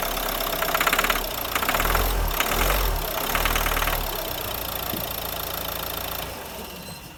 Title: Problème sur injection. Bruit de claquement à l’accélération Renault Scenic 3 2013 1.5dci 110.